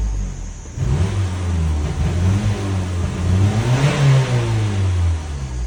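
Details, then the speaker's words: 2012 Ford Fusion 2.5L with no codes, stalling after start and when accelerating. The first couple of throttle pumps pick up, then the revs sag and stumble as if it wants to die. Suspected MAF sensor; throttle body, pedal sensor or fuel pressure also possible. "oh instead of hitting the gas slowly we'll give it some RPM and now it I'm hitting the RPMs and it wants to die now the first couple pumps are good there we"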